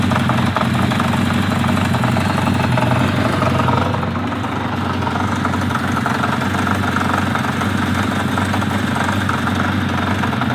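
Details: 1980 Kawasaki Z500 B motorcycle engine idling with a rapid, uneven ticking and light knocking through its steady beat; cause unknown.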